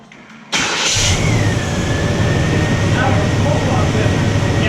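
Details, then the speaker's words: 1996 Chevy K1500 Silverado after a new starter was installed without shims: it cranks, catches almost instantly and settles into steady idle with no starter grinding, a normal quick start. "That sounds so much better. Oh my God. That sounded really good. Yeah. That sounded no grinding, no nothing, so that's good."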